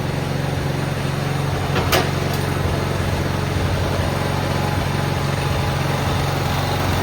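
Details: Cub Cadet 682 garden tractor with Kohler KT17 twin, first start after storage (mice remnants, solenoid jumped, battery charger on): steady, even low thump at fast idle, no misses, knocks or surging; started right up, runs really well.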